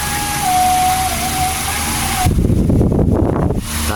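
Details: Old-model Nikon industrial electric fan after repair (1.5 capacitor, switch checked), running on speed 1 then 2 with swing: steady motor hum with a clean, even tone and a smooth rush of air, no rattle; normal running.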